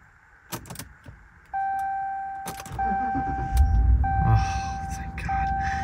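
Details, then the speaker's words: 2019 Ram 1500 Limited, high mileage, that would not start; after replacing the suspected bad starter, dash chimes, then a short crank catching to steady low idle without grinding. "okay so the starter was bad at least we think it's bad I mean it it immediately fired up once we started it"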